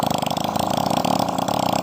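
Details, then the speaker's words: Four-stroke motorcycle after fitting a new GN5 piston at 0.25 oversize with staggered ring gaps and new valve seals, run without its exhaust to check for white smoke; crisp, even pulses that build and hold with throttle, no knocks. Normal revving. "O mesin di sini sangat lancar sekali semburannya"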